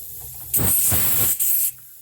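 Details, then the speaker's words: Old Worthington shop air system: sharp steady hiss starts suddenly, dips briefly, then stops, pressurised air leaking from a crack in the plastic dryer housing just below the lip; later repaired with epoxy. "all right so we got leak down there something's leaking"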